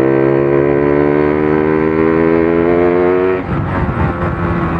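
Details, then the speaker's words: RX two-stroke motorcycle test-ridden in second and third gear from about 20–30 km/h: revs creep up slowly and flat before dropping off, hesitation each time the throttle is pulled; sluggish pickup diagnosed as low compression. "nah mesti Ada telatnya toh Ada h begitu dulu nah iku kompresi ngelop Bos"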